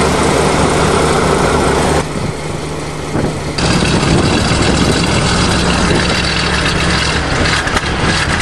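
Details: 427 Chevy V8 dump truck after fuel pump fix, waiting for air brake light: steady even idle with low rumble, no knocks or misses; sounds healthy.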